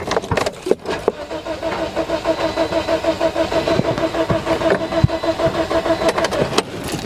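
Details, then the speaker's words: 2009 Toyota Matrix 1.8 L with a no-crank complaint, after a replacement ECM and a fuse fix: steady rhythmic cranking, about three beats a second, with no firing. The no-crank is fixed but it still cranks without starting; cause unconfirmed. "now just keep on cranking but at least we fix uh one problem you know the knock rank and now the car just crank but not start"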